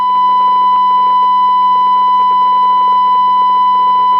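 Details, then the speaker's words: Hong Kong-made CB radio with crackling on both receive and transmit: irregular crackles and pops over a steady whistle-like tone from the speaker. The suspected cause is a noisy inductor. "Right, you can hear that crackling sound. Now that crackling sound is coming from on receive, and it's also on transmit."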